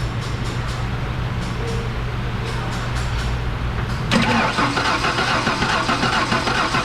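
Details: Ford F-150 300 straight six no-start, cranked by jumping starter solenoid with spark tester: steady cranking never catching, then louder clatter; no spark, failed ignition module missing its heat-sink screw.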